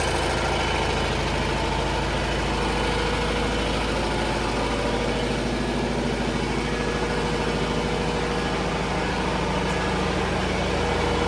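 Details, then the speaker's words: 1980 John Deere 400 tractor, refurbished from non-running, with the original carb redone and a new air filter; only initial timing set so far. A steady, even engine beat with no misses, knocks or surging. It runs out well. "Runs out real well. I haven't set that timing yet, just got the initial."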